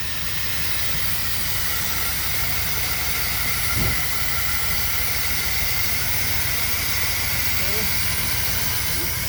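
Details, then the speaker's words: KITT car's V8 engine idling after first start, following a fix of a no-start fuel problem: steady, even low pulsing under loud hiss, no misses, knocks or stumbles; runs and sounds good. "The engine actually runs really good and sounds good. So I'm pretty happy about that."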